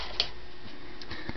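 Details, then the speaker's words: Casablanca Veranda outdoor ceiling fan, K55 stack motor made February 1995, after oiling the bearings: faint irregular light ticking over a quiet steady motor hum; mild dry bearing noise remains, owner thinks more oil drops over time will help. "Klee has somewhat bearing noise but I'm not too concerned about that because this is an outdoor fan"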